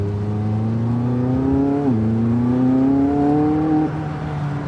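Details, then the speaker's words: McLaren 675LT MSO twin-turbo V8 pulling hard in manual mode: a clean tone rising smoothly through two pulls with a brief dip at the shift; normal, healthy engine note under acceleration, ceramic brakes may squeal. "Donc V8 biturbo. Voilà. Donc pour un moteur turbo, voilà, on a quand même du son, hein, très intéressant."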